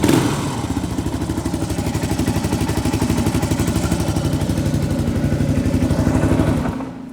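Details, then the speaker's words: Fully restored 34-year-old 1990 Suzuki DR650 R Dakar, not yet warm: steady, crisp single-cylinder thump at a fast idle with a mellow, inoffensive muffler note and no knock or rattle; normal running. "nice nice that muffle is not offensive either sound ah it's"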